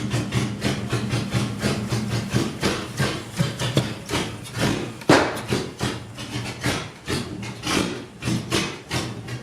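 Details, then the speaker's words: Salvage Jeep Cherokee six-cylinder, after new fuel filter, regulator, fuel line and NGK plugs, being revved: rough uneven running with surging revs, lumpy pulses and knocking clatter; running very rich, owner suspects possibly another crank sensor, cause unknown. "Now, I do know that when we did the compression test, we pulled these plugs out, and it's running really rich."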